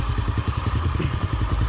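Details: Honda Astra Star motorcycle after clearing a clogged oil pump feeding the top end: low even idle about eleven pulses a second, no metallic tapping, now quiet; to be warmed up before valve clearance adjustment; normal idle.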